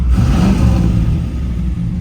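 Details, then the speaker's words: 3rd-gen Firebird Formula stroker V8, cold idle, oil pressure drops near zero when warm and it has no power: deep steady rumble with a faint tinny tapping; internal fault, engine to be pulled and rebuilt. "just a faint it's like a tinging a lot of tapping"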